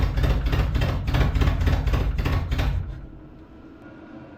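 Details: Datsun 720 King Cab 4x4 pickup, abandoned 20 years, carburetor cleaned with spray, anti-dieseling solenoid fried: lumpy uneven chuffing at about 3.5 pulses a second that dies away. It only runs very rich; owner suspects a vacuum leak letting in too much air.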